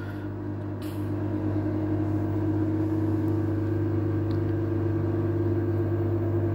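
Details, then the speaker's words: Samsung Digital Inverter Eco Bubble washing machine in spin-only mode, about 10 minutes remaining: steady low hum slowly rising as drum RPM increases, no knocks or scraping, a normal spin. "it's increasing. Now only the 10 minutes remaining. You can hear the noise."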